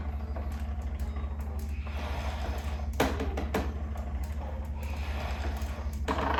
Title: Concept2 rowing machine strange rattle noise at very low speed and short range of pull